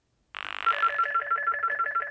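A quick-pulsing buzzing tone on the line in a quiet room, the exchange signalling the called phone normally.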